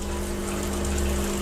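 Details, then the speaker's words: Milesto Eliane espresso machine, vibratory pump restarted after a 2-minute rest following an overheat: steady low hum, firm constant buzz and water rushing through, even and unbroken; brewing normal, no problem. "panas brewing Semua normal tidak ada masalah"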